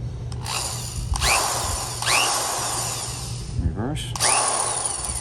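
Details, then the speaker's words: Vintage SKIL Model 598 drill, rewired and tested before regreasing: repeated trigger pulls, each spinning up to a clean, steady whine without grinding or stutter. The motor runs strong and healthy. "oh it sounds like it's got a strong motor it does work that's good"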